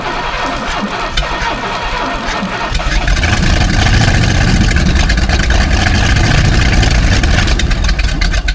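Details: 1978 Hawaiian 21ft jet boat, Ford 460 big-block, unrun for years: catches after about three seconds of cranking into ragged, stumbling, surging running, barely alive; carb bowl overflowing, mouse nest in exhaust, carburetor probably to be pulled.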